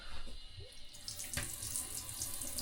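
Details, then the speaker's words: Shower fed from a vented tank, with one gate valve and the hot-side valve shut: a quiet continuous hiss of water still running through the pipework; the old gate valve is not sealing and isolates nothing. "Yeah, that hasn't isolated anything, has it?"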